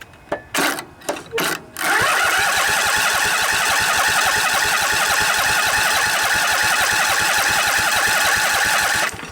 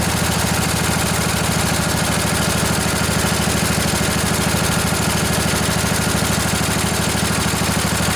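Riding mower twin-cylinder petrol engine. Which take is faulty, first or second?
first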